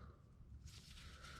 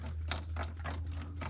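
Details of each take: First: Bobcat skid steer with Kubota V2203 diesel, won't start after a 10-minute shutdown; old worn fuel lift pump barely squirts fuel, and when priming stops a wet hissing gurgle as air is sucked past the worn diaphragm; new pump to be fitted. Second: Bobcat skid steer with Kubota V2203 diesel, crank-no-start after sitting 10+ minutes: newly installed replacement fuel lift pump primed and running, soft even ticking about four per second over a steady hum, no gurgling, hissing or air; pump replacement is the fix.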